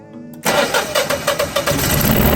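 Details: Generac 14kW standby generator after diagnosing slow cranking with flashing red indicator, swollen old battery removed and codes reset: starter cranks briefly, engine catches and settles into a steady even run with no knocks; clean, healthy start.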